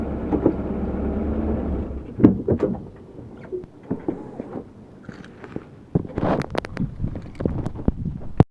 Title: GMC clunk noise when shifting Reverse to drive